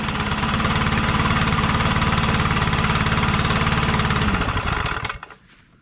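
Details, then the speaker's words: Stihl BR800X backpack blower after valve adjustment: deep, even, throaty run with steady beat and no misses, then clean shutdown; healthy sound, whereas before adjustment it had grown higher pitched over about six months. "hear how it has that real deep like throaty sound that's how it should sound"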